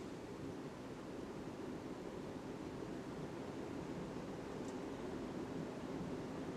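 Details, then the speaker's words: Hunter Original 52-inch ceiling fan (c. 2020, new install) on high speed via multi-speed wall control: soft, even rush of air with no ticking, scraping or wobble, running normally. "there's medium now we're gonna bump up to high now this thing is powerful"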